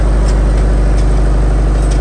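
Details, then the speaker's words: Reconditioned 35 kVA Kirloskar generator, HA494 four-cylinder air-cooled diesel, 45 BHP at 1500 rpm, at 100% load, microphone right beside the set; deep, steady drone with even firing beat, no extra noise or smoke. "आवाज भी आप check कर सकते हो दोस्तों 100% load प कोई फालतू नॉज नहीं मिलेगा आपको"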